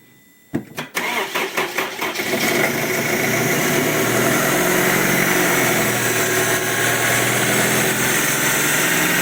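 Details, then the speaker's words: Honda CR-V 2004, K20 2.0 petrol engine, fully cold first start after suspected timing chain and oil pump rattle, oil topped up: cranks, catches and settles into steady even cold idle, no knocking, runs much better. "Ну отлично вы видите того столько нету уже однозначно моторчик работает гораздо лучше мотор полностью холодный сейчас всё"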